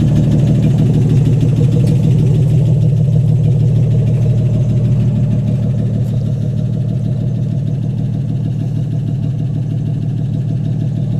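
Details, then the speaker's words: AMC 199 engine in a 1951 Hudson Hornet, just reassembled after a cylinder head rebuild and started: steady, even low idle pulsing about three beats a second with no ticks, knocks or misses; normal idle, running good. "Alright, there we go. So it's running good."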